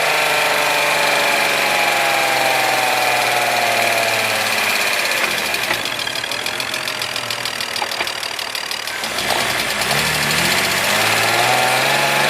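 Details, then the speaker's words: BMW E46 M54 inline-six after refitting the fallen-off oil pump nut and replacing the oil pan gasket: steady, even idle with light regular tick, no knock or stumble; oil pressure restored, sounds healthy. "I don't know man like it sounds pretty good it sounds pretty good definitely get an oil pressure now"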